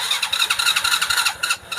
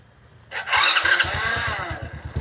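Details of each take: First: Honda Supra Fit (KRS) motorcycle with DC CDI ignition: the electric starter whirs in fast, uneven pulses but the engine never fires, yet it starts at once with the kickstarter. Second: Honda Supra (DC CDI) motorcycle after battery recharge, aftermarket starter motor: cranks briefly on electric starter, catches, revs, settles into steady idle; hard electric starting traced to a weak pulser.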